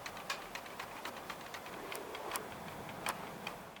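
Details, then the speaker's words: HP Omen gaming laptops, units 7, 8 and 9, being shaken: light, irregular plastic clicks about three a second come from their especially loose folding network port flaps, a quality-control defect. "Los puertos de red plegables de las máquinas 7, 8 y 9 estaban especialmente flojos. Al agitarlo, hace un ruido de"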